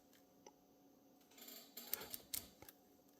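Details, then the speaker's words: Typewriter carriage return (Olivetti Lettera 22 or Smith-Corona escapement): light, uneven normal clicking as the star wheel brushes the loose dog; a stud can limit it. "that is the star wheel brushing up against the loose dog in some cases people decided that that was undesirable that's what this little stud here is for"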